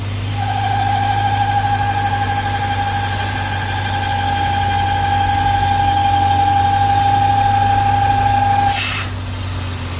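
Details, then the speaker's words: 1998 BMW V8, whistle appears after starting once at operating temperature: steady high whistle over low idle that stops with a rush of air when the oil filler cap is removed and returns under pressure; faulty PCV valve causing crankcase overpressure. "he Librado la presión el sonido se quita pero una vez que vuelve a presión se vuelve a poner el sonido"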